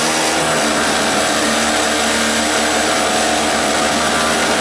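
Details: $5 two-stroke 900-watt generator started with choke and starting fluid: steady buzzy high-revving drone at constant speed without surging or misfiring; runs well, though its voltage control is loose and the fuel leaked.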